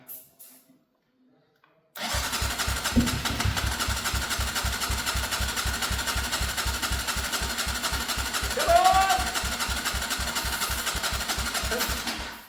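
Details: Abandoned Gilera motorbike left in a field for years, retried after wiring fiddled to restore intermittent neutral light and hunt a missing spark: after silence, even chuff about four beats a second as it turns over and tries to fire.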